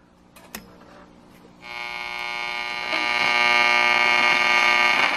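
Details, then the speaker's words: Detrola tube radio in a custom-made cabinet (original bakelite case broke): with the volume all the way down it still gives a steady high buzz with a fast pulse. Owner suspects an open coil with silver migration, not the tubes; unconfirmed. "See, listen to it, and this is volume all the way down."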